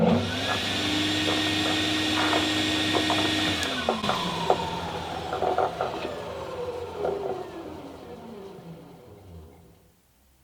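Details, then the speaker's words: DIY drum (thickness) sander after regreasing the bearings, one of which had been overheating: motor whine sags in pitch under load with a rough, train-like rumble; sounds like something loose inside the bearings. "I've got a noise from these bearings listen listen to this see if you can hear like a train putting a load on you can definitely hear the noise and the bearings"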